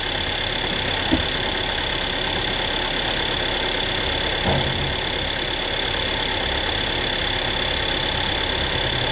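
Steady idle with a fast, uneven light rattle riding on top, a few sharper taps; rattle from the engine, cause not clear.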